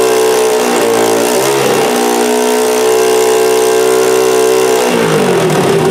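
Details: Honda XR80R first start, fuel on reserve, carburetor not leaking: loud single-cylinder buzz rises and falls cleanly with throttle, settles to steady idle; normal idle and revving.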